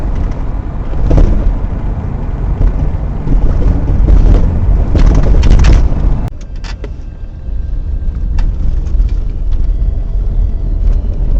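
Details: 2000 Toyota Sienna minivan on a road test after rear shock absorber replacement: steady low road rumble with a few light bump ticks and no spring rattling.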